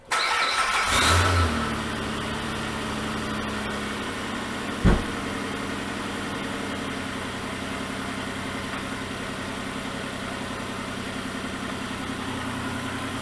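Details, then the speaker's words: 2004 Nissan Maxima 3.5L V6 at 237,000 miles, after a repair of a rough idle and misfire, with fuel trims back near zero: it cranks and catches quickly, flares briefly, then settles into a smooth, even idle. "I'm sure you can hear that and the engine for 237,000 miles burn along pretty good now"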